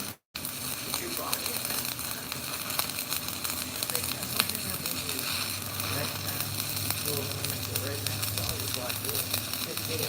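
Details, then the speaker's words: ESAB Renegade Volt welder in stick mode: steady crackling sizzle like frying bacon, even and unbroken with no sputtering or pops; a stable, well-set stick welding arc. "Burn what it sound like like [Music] popcorn bacon you think popcorn bacon"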